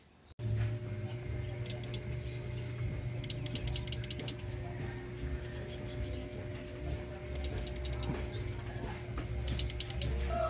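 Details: Yamaha Sniper 150 idling: pressing horn button gives only quick bursts of relay clicks, no dual loud horn blast; handlebar switches also miswired, all feeding the eyeline light; horn relay clicks but horn stays silent.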